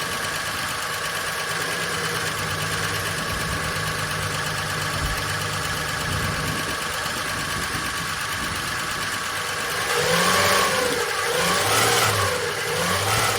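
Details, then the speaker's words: Long-stored VJ Dodge ute first start with no transmission fitted: it fires into a rough idle with a loose metallic rattle heard from the rear. Owner suspects the clutch thrust bearing sitting on the pressure plate. Engine rattle at startup. "I think a lot of that noise now is coming from the clutch or something cuz it's got no transmission in it."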